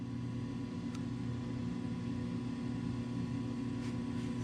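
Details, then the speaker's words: Coleman DGAA056BDTA furnace after a new combustion blower motor was installed to fix a three-flash "combustion air switch failed to close" error: a gradual whine as the motor spins up, then the burner lights, giving a steady even hum and soft burner rush. Normal operation. "that's how that motors supposed to sound a gradual whine and then come on"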